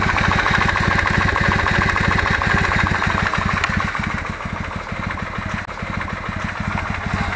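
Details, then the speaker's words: Kawasaki W650 twin at cold idle, about 10 °C, not fully warmed: quick, fairly regular tapping about three per second over the exhaust beat, growing as it warms; owner suspects camshaft drive gear mesh needing adjustment, valves ruled out; knock at cold idle. "на холостом ходу но он еще не до конца прогрелся пока [аплодисменты] [смех] постепенно постепенно с тупого появляется он нарастает нарастает"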